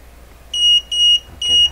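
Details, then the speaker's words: Westinghouse 636 radio, output stage, measuring plate voltage (about 134 V read). Three short high-pitched beeps about half a second apart from the meter's over-24-volt warning. Over-voltage warning beep. "the over 24 volt alarm going 134 volts so we've got minus 6 for 134 now we'll give a full plate voltage"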